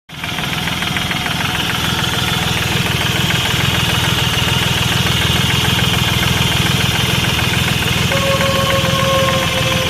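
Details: Hyundai i10 Grand engine with knocking and white smoke: ticks over with a steady knock at about three beats a second riding on the idle note; knocking, cause unknown.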